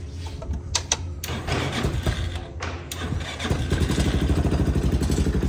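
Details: Hammerhead 250cc ATV after new spark plug and plug wire, old plug badly gapped: a few cranking thumps, then it catches and settles into a steady single-cylinder putter with light revs; starts and runs properly.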